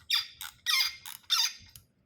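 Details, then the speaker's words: Sharp high squeaks in five short bursts as a carburetor float bowl nozzle is turned out with a ratchet on a vise-clamped MA 4-5 carburetor; dry, crusty, corroded threads binding. "You hear that squeaking? Threads are dry, probably crusty."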